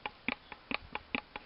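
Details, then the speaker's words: 2003 Ford Focus front passenger axle fitted into new Timken hub/spindle, shaft rocked by hand: sharp light clicks in pairs about twice a second, lots of up-and-down slop; owner suspects oversized hub splines. "a lot of slop. Up and down."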